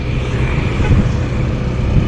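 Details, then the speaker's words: Yamaha NMAX scooter: loud drone like a plane taking off, appearing from about 20 kph and fading by 40–50 kph, with a faint whine; transmission fault traced to a worn primary drive gear, which is to be replaced. "Malakas yung tunog niya. Parang nagte-takeoff na eroplano o kaya malakas yung ugong."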